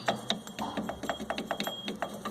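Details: 1997 Fiat Palio 1.5: a loose washer makes quick, uneven metallic clatter against the body when driving over potholes; the owner plans a rubber piece to stop it hitting.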